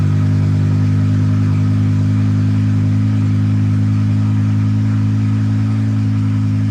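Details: BMW E60/E63 M5/M6 running after the new SMG pump install and INPA bleed (calibrated, no fault found): deep steady rumble with an even beat, no knocks or misses. Normal running, and the SMG pump goes into gear.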